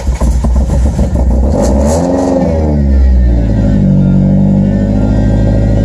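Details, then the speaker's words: Vehicle just fitted with a new 842 alternator belt and intake elbow, in neutral: starts and picks up cleanly through a couple of revs and settles back with no belt squeal or chirp; the new belt runs fine. "Alright, sounds like, as you guys can hear, that he is alive."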